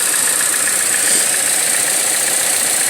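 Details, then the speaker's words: 2014 Chevrolet Cruze LTZ engine idling with steady high-pitched hiss and thin whistle from top of engine; air sucked through damaged valve cover/PCV valve, fixed by replacing valve cover; vacuum leak. "un problema que a través de vehículo trae como un silbido en la parte de arriba del motor"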